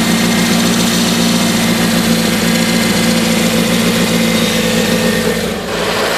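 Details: Toyota MR2 supercharged: steady but slightly uneven idle with a faint irregular stumble under the exhaust note, a rough idle of unknown cause; a tapping that may be a valve is also noted.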